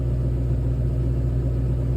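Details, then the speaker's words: 2007 Mustang GT V8 idling after all 8 spark plugs were replaced: low, smooth, even rumble with no misfires, burbles or pops; no codes, running like it used to. "And right here in this clip, I was checking for misfires or any like weird burbles or anything, but we're all good. Everything's right. No codes."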